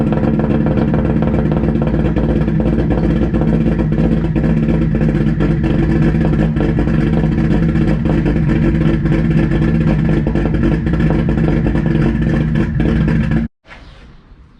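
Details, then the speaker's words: 1JZ-swapped Lexus IS300 on first startup, straight 3-inch downpipe and axle-back 2.5-to-4-inch tip: very loud, raspy idle with an uneven, choppy beat that never settles, then cuts off; not cammed, running very rich. "As far as chop wise, it's not cammed, it's just running very rich, so it sounds like that. but I think we would be decent if we get the idle a lot better."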